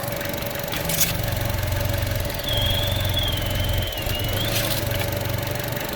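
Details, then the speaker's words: 2016 Chevrolet Trax at idle after oil change, oil level good: thin high whistle appears for about two seconds with dipstick removed; customer had reported a noise, cause not pinned down. Noise with dipstick removed. "It's weird when you take the dipstick out. That's when you hear that noise."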